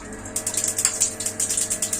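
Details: Wasser LPG gas water heater not lighting: igniter clicks about eight per second with no burner roar; gas not reaching burner, likely a locked regulator or tilted gas cylinder.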